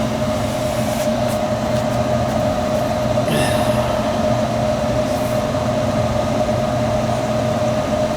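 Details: Gas furnace that wouldn't fire, after cleaning the flame sensor and burner: steady, even burner roar with a constant mid-pitched hum and no surging or popping; incoming gas pressure reads 13 and outgoing about 7, to be set higher; normal burner operation.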